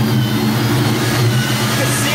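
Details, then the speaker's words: Vortech-supercharged 1999 Ford Mustang GT at operating temperature: the idle burble rises and dips, attributed to a dirty MAF signal from the blower; the car drives perfectly and a tune could refine it. "this is how it idles you can hear it it kind of fluctuates but when you're driving it it's perfect"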